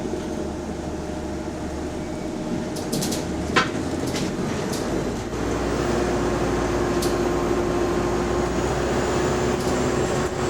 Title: Weird Noise, Hydraulic Cooling Fan | SLN 12340 On Bus Route 161 Part 2 (6)